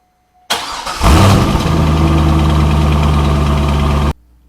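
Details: 2002 Corvette Z06 with a belt-drive squeak at the front of the engine: reference good start, a short crank then a clean catch and settling idle with no squeal or chirp; a normal engine start.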